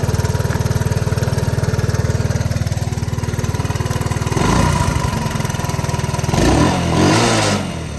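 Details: 1983 Honda ATC 185s single-cylinder ATV, after a carburetor screw was turned out to cure hard starting that needed starting fluid; idle thump around four beats a second, short revs picking up a bit hesitantly; still slightly lean, owner thinks the screw needs to come out more.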